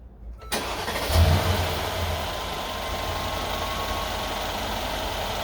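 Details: 2013 Mercedes SL550 at 42,000 miles, first start after an AMSOIL engine flush, a 9-quart 5W-40 synthetic oil change and PI fuel cleaner: quick crank, catches at once and settles into a smooth, even idle with no knocks or ticks; a healthy start.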